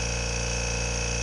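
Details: New Kobalt Quiet-Tech air compressor running: steady low drone with a smooth, even pulse and no knocking or rattles, much quieter than the 20-year-old Coleman Black Max; normal running.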